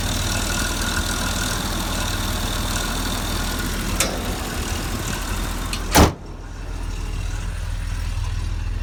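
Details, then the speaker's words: 1983 Jaguar XJ6 Series 3, 4.2 engine at idle: light rattly scraping that fades and returns, not heard above about 2000 rpm; confirmed as the timing chain. "now you don't seem to hear it when you rev it up to maybe 2000 or so yeah it's sort of constant rattly scraping noise well it's not quite constant it sort of fades out and then comes back in again it's weird"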